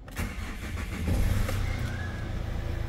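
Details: Hyundai Starex diesel with a no-start problem, after a scanner-guided fix: short crank, then the engine catches at once and settles into a steady, even low idle; clean, healthy start.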